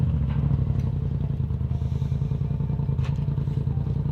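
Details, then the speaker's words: Trophy truck race engine after laps, with knocks and rattles: heavy low clatter about three or four beats a second as the engine winds down at shutdown; crew suspects bearing wear, not confirmed, oil filter to be cut open. "the mode is that noisy but when you hear it shut off it's like rattle like big rattle"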